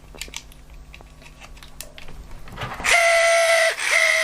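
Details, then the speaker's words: About 50-year-old LEGO train motor: after handling, a loud high buzzing whine starts, cuts out briefly and returns; runs noisily and intermittently. Owner suspects a loose connection or need for cleaning, not confirmed. "it didn't sound the healthiest when it's running it's very very noisy indeed"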